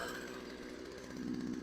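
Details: Craftsman two-stroke chainsaw left outside for years, formerly seized, after cold start and warm-up: idle won't settle, pitch wandering then climbing on its own; crank seal leaking air.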